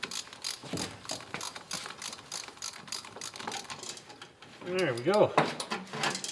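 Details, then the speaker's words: 1931 Chevrolet coupe six-cylinder, mechanical fuel pump removed and worked by hand: a few ratchety clicks, then the telltale wavering honk; the pump should work. "we got our fuel pump off and it's got The Telltale honk honk noise so it should work"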